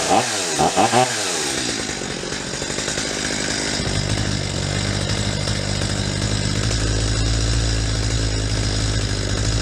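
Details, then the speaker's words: Stihl MS250 chainsaw after carburetor cleaning, adjusting low mixture screw: screams high, then revs sag and stutter as it goes too lean past peak; backed to peak then about half to three-quarter turn richer. "you could hear how that saw reached a point where it was revving at a peak and then it started to fall off the edge and in stutter"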